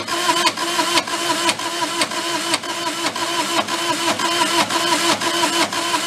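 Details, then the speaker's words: Mid-80s Bobcat skid steer, possibly a 642, diesel, non-running, cranking on glow plugs and ether: slow, steady cranking at about two turns a second, one cylinder seeming to have less compression, never catches; tired engine or fuel problem suspected. "even like listening to it like it doesn't have sounds like one of the cylinders when it goes to crank it doesn't have the same amount of compression"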